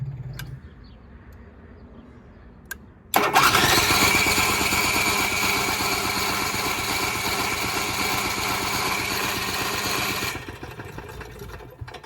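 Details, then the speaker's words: Onan 4000 KY series generator that was surging, stalling and not staying running: it fires up abruptly, runs about seven seconds with a wavering beat, then sags and dies. The choke lever would not move and the choke plate was stuck open rather than closing at ignition. "Remove the air filter and confirmed the choke plate was stuck open. The choke plate is supposed to close at ignition."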